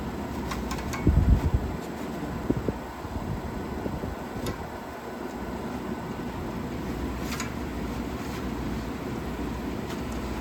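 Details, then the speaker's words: 1956 Fedders Weather Bureau 6,000 BTU window air conditioner, Tecumseh compressor, after rewiring: steady low compressor and fan hum with even airflow rush after a brief early clatter; running normally. "Sounds good. Sounds really good, guys."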